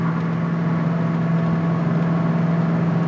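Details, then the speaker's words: 1966 Mustang fastback, 289 V8, mechanically restored after 33 years in a barn, cruising. Deep, even drone at a steady pitch, no misses, knocks or ticks; normal highway cruise. "Okay, so at 55 here, it's just kind of walking down the road. It's no struggle at all."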